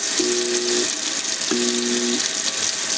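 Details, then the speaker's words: Jammed garbage disposal switched on with cold water running: short bursts of low electric hum, no spinning or grinding; it is stuck and not rotating, and leaving it on could trip the breaker. "that humming noise is telling me that the garbage disposal is stuck it's not rotating"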